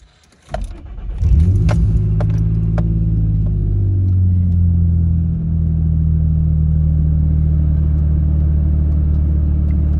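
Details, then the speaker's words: Nissan Xterra with P0507 idle code, cold start after throttle body cleaning and idle relearn: brief crank, catches, flares up, then within seconds drops to a smooth steady cold idle with no hunting; idle seems better. "Seems better. Can't rev it up or really drive it yet because it's too cold."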